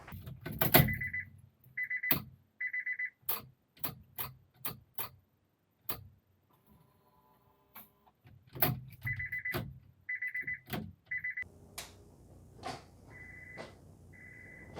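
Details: 1996 JDM Honda CR-V RD1 automatic with K24 swap and Hondata KPro, first power-up with battery connected and ECU disconnected; short high beeps in quick groups of two or three between switch clicks after key-on. Buzzer cause unknown.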